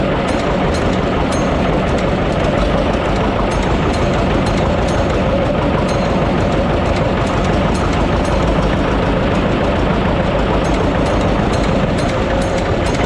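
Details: John Deere 720D diesel tractor, previously a no-start: steady, even diesel clatter over a constant low drone with no misses or stumbles; no-start issue fixed, running smoothly.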